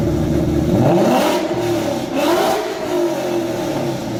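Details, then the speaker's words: 2011 Mustang GT V8 with newly installed eBay long-tube headers and BBK modified X-pipe: two loud, smooth rev blips with no misses or rattles; very loud, healthy. "That was loud. Yeah, that was loud. That was hella loud."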